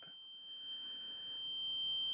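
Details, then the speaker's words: Multimeter used to measure an electric motor, now failing: steady high-pitched continuity beep that never stops wherever the probes are, persisting after removing and refitting the battery; buzzer stuck on. "queda pitando como si estuviese midiendo continuidad todo el tiempo así no importa donde donde lo ponga siempre queda pitando así"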